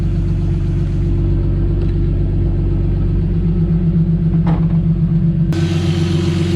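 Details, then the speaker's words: Turbo M52-swapped BMW E30 with no vacuum leaks, warming up before thermostat opens with coolant bubbling: even low rumbling idle with no hunting, surging or hiss; normal idle. "pressure's a little low now i don't have any vacuum leaks and it's idling so smooth"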